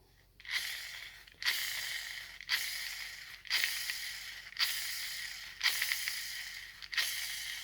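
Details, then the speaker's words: Gel blaster gearbox spur gear spun by finger after fitting bearings and shims: smooth, hissy whirs fading evenly, not rubbing on the bearing housing, with no grinding heard. "You can hear that it's not rubbing on that bearing housing, which is good. It's a good start."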